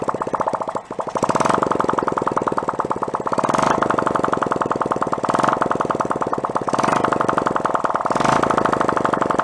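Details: 1972 Honda CT70 Trail 70, stored non-running about 20 years, after carb cleaning, battery charger no longer supplying 6 volts: crisp rapid popping from open exhaust, even and steady with gentle throttle swells; small single runs cleanly until out of gas.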